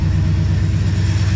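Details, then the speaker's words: 1972 Ford F-100 Sport Custom V8 with glass-pack exhaust, idling after a new exhaust gasket fixed a leak: deep, even rumble with a steady pulse and no exhaust tick. Smooth and healthy. "yeah it's just running super smooth and no exhaust tick anymore"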